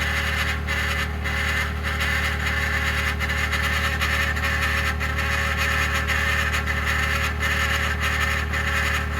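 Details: 2021 Ford F150 PowerBoost remote cold start at -16°C: loud constant coarse grinding rumble over steady idle after a click; occurs only below about -11°C, quiets after ~10 minutes warm-up; likened to a fan hitting its housing, relay suspected, cause undetermined.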